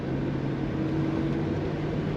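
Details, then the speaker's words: 1983 Buick Riviera convertible, automatic on the column, top down: low, steady V8 idle, even hum, quiet exhaust with no ticks, puffs or rasp; normal healthy idle. "this is an automatic on the column nice quiet exhaust of this car very much like what it should sound like"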